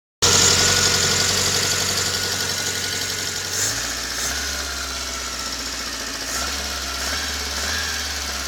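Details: VAZ 21083 (2109), just bought, at idle: quick, fairly regular light tapping from the cylinder head over a steady hum; owner can't tell what the knock is.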